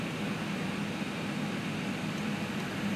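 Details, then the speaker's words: Creality Ender 3 with SKR 1.3 board in an Ikea Lack enclosure, printing from SD card; only soft steady fan hiss and faint hum, no stepper whine or clatter, normal running, fans only. "one thing he'll probably notice is this thing makes no noise at all outside the fans with the ceiling fan on and the air conditioner running you can't even hear the thing it's crazy"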